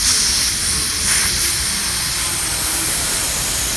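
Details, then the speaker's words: Slow controlled release of dry nitrogen from a car A/C system after refrigerant recovery, bled down to atmospheric pressure: steady soft even hiss, opened slowly so oil doesn't foam out under rapid release; normal slow pressure release. "so what i'm going to do here is i'm going to slowly open this let's see if we can hear this you hear that you see that really slow we don't want to make oil gel back out of there and foam up into refrigerant oil under rapid pressure release and we can hear it go down"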